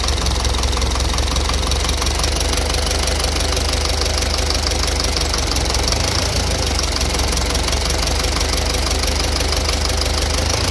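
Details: At idle, steady rapid knocking rides over the engine the whole time, even and persistent; internal engine knock, cause not yet pinned down.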